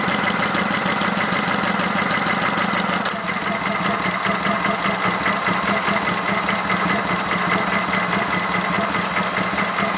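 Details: Kawasaki Vulcan 900 V-twin at idle: steady idle with a busy layer of light, even ticks and clicks, present since 1,000 miles and on every VN900; normal valvetrain ticking.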